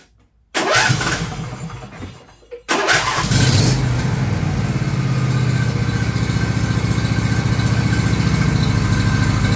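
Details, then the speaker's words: John Deere LA135 lawn tractor after finding the noisy bearing that made noise when the clutch was let out: engine fires after a short crank and runs evenly with no squeal or rumble from the belt pulleys. "found that noisy bearing hopefully it's happy once again it's when we let the clutch out"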